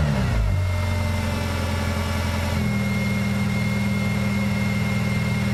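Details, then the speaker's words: Idle won't settle, revs stepping up and dropping back every few seconds as it comes off high idle; idle surge caused by PCV valve stuck open. "the pcv valve stuck open"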